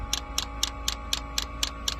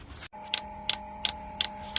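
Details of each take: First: Diesel heater being installed in a school bus conversion, first start: crisp, evenly spaced ticks several a second over a quiet hum as the dosing fuel pump primes and fuel starts reaching it; normal. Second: Diesel heater installed in a school bus conversion: sharp even dosing-pump clicks about three a second over a steady hum. The pump is running dry because the fuel pickup is not reaching fuel in the tank.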